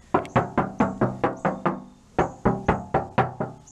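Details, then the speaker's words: BMW Z4 door not yet sound-deadened, knocked by hand: about fifteen knocks in two bursts, each hollow, tinny and quickly decaying, like a tin can; hollow door panel resonance, unlike the treated door that sounds solid. "sounds like a tin can verses definitely worth the less than $20"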